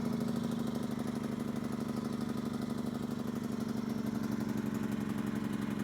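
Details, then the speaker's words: Yamaha EF2000iS inverter generator after pilot jet work to cure surging. With the choke fully in and economy mode on, it gives a smooth, even, steady idle hum with no surging or blips. "look at that choke is all the way in economy mode no blips is that a beautiful sight or what"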